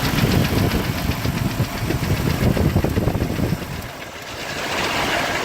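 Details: 1998 Jeep TJ Wrangler, claimed 4.7L Summit Racing stroker with 50k miles, pistons replaced but not wrist pins; idling petrol engine with loose metallic rattle about three knocks a second; owner unsure if wrist pin, piston slap or worse.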